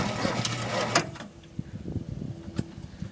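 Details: Ford F350 cherry picker truck, battery being charged and primed: about a second of labored, uneven cranking cuts off without the engine catching, so it is hard starting. The cause is not confirmed.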